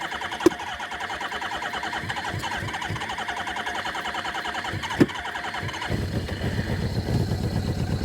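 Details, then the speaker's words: 1981 Suzuki GS650GL inline-four, sat for years, first start with choke on; slow stumbling cranking catches into a ragged uneven idle, one cylinder apparently not firing yet; carbs need syncing; misfire. "think we may be missing one it's coming around"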